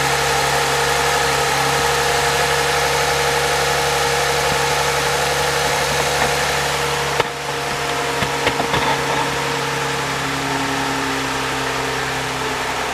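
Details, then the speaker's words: 2014 Toyota Highlander 3.5L, 92,000 miles, one quart overfilled with oil, camera near front of engine: light fast rattle over the idle for a few seconds after cold start; suspected timing chain or valvetrain, unconfirmed. "when their first fire is up he's just a little rattling sound he says never used to do it before"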